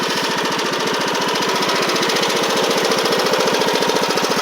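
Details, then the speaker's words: Poulan Pro PP19A42 riding mower with General transmission, after freeing the stuck forward/reverse pedals; quick, even pulsing beat at steady idle with no knocks or misses, runs good; normal idle. "you can hear it runs good and most importantly the pedal is smooth now so that's great"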